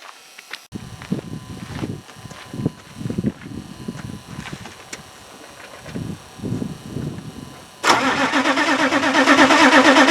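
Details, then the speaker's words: GM 6.5 diesel, cold, coolant temperature sensor telling the PCM the engine is cold: starter cranking then engine fires and holds a raised, even high idle; high idle solenoid working. Normal cold high idle. "hey that sounds like a high idle to me yeah baby wow so"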